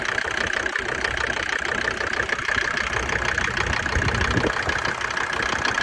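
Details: Mercedes OM605 diesel idling about 17–20°C, knock starts ~3 minutes after glow plugs switch off, worse around 10°C: uneven clatter roughly three knocks per second; oil cap not lifting; cause unknown, unresolved.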